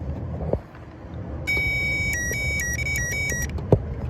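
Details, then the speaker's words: Toyota relay bench-tested with a power probe or jumper leads while diagnosing a battery light; crisp single click as it energizes over a warbling tester tone, showing the relay pulls in and is good. "I don't know if you can hear it or not, but it's making that click noise, and that tells you that it is good."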